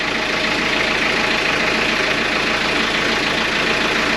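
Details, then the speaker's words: Sailboat diesel engine at idle, no throttle, measured about 84 dB in the galley before soundproofing the engine bay: steady clatter with even rhythm, no stumbles or odd knocks; healthy idle, not a loud engine. "okay so that's in the gall that's like 84 DB it's not a loud engine it really isn't"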